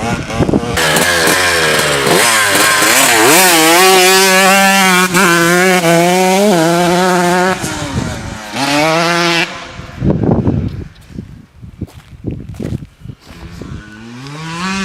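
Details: Stock-engine 2002 Honda CR125 two-stroke dirt bike, 17 years old, ridden under load on its first ride with a badly stretched chain; crisp buzz climbing through the revs with clean gear changes and eager pickup; healthy, normal running.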